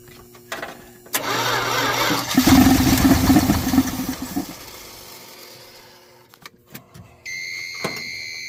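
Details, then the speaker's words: 1979 Dodge truck sitting over 10 years, fuel poured into carburetor: ragged roar under two seconds then stumbles and dies with clicky clatter; fuel starvation, not picking up fuel from the tank. "Well, definitely isn't picking up fuel from the fuel tank. I thought I had it picking up fuel from the fuel tank before."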